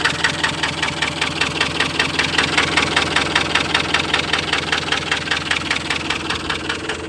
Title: Стучит, троит и глохнет Транзит 2.4